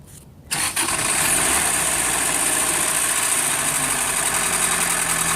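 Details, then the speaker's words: 1991 Acura Integra petrol four-cylinder cranks, starts and settles into rough idle with rapid, uneven knocking; began suddenly, owner suspects turning the crank too many times during a timing belt change; engine given up on. "Pretty not what it's supposed to sound like. Sounds pretty awful."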